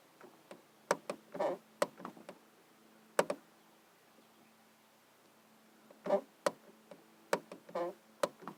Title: Annoying door clicking sound.